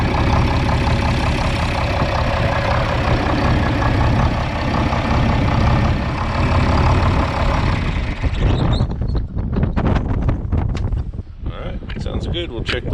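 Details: John Deere 4010 tractor diesel just serviced with nine quarts of oil, Lucas additive and new, bled fuel filters, in park; settles into a steady, even low rumble with no knocks or misses; normal idle.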